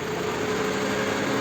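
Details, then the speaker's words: Toyota Camry 30-body with 2AZ engine, after engine repair elsewhere, VVT clutch commanded via scan tool at idle: idle stays steady instead of stumbling and stalling, so the cam phaser isn't advancing; VVT not working, fault code stored. "вот видите включил я возвращать иль выключаю все 9 не глохнет ребята это тот же самый метод когда провода подключайте как мотор плюс-минус сразу отсюда дать щелок видите друзья не работает и есть ошибка"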